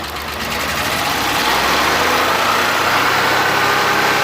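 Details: Suzuki Multicab with F6A engine idling with an uneven, stumbling beat and occasional dropped pulses instead of a smooth run; random misfire at idle being troubleshot.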